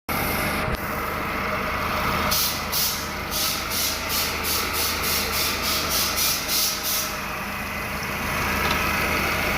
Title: Hyundai i10 P0300 multiple clyander misfiring #automobile #unfrez #mechanic